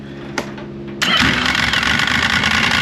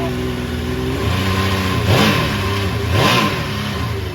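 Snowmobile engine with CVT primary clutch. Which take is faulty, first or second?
first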